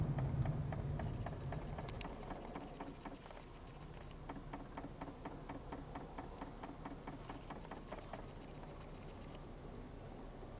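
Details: VW Golf Mk VI on a cold start, engine quiet at idle: light, even clicking about four times a second in bursts, which the VW dealer says is the normal fuel leak detection pump self-test.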